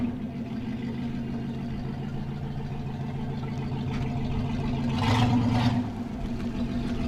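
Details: 1964 Oldsmobile Super 88 V8 after new spark plugs, fuel filter and fuel pump: even, steady burble with a regular beat and a brief throttle blip; healthy and clean, running much better than before.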